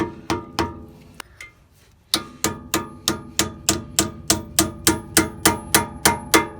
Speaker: so you hear that we've hit the end of that and that's that one